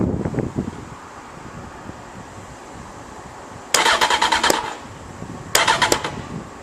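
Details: 2007 Honda 919 motorcycle that won't start the day after mods, codes 12 and 14 (injector malfunction on #1 and #3): two short cranking bursts with quick, uneven starter chatter, never catching. Injector malfunction, crank no start.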